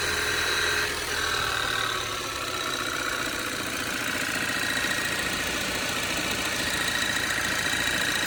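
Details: Cold idle, cover removed, on a 2013 Audi 2.0 TFSI gen2 with Stage 1 Revo tune and 150,000 km: light, fairly regular tapping of three or four knocks a second. Owner suspects a piston pin but is unsure.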